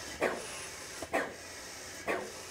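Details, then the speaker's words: Airless spray pump starting up on solvent, air motor driven: regular hissing strokes about once a second as it cycles with fluid flowing freely. "s pressurized the pump will actually stop of its own volition because it can only pump it up so far and stop"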